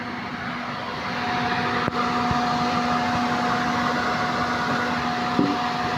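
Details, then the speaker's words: Suzuki multicab (D17) with a noisy AC compressor complaint, running with pressure around 175 and cycling to automatic: a steady, even hum with no rattle or grinding, then a click as it cycles, indicating normal compressor operation. "So dito normal yung bomba niya. Yan normal ito normal 175 mag-automatic"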